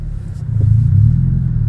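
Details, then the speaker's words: Mazda car: a deep booming bass drone that swells as the engine pulls under acceleration. Excessively loud exhaust, too loud for the owner's taste. "je suis vraiment content de cette voiture malgré le bruit qui est trop fort à mon goût"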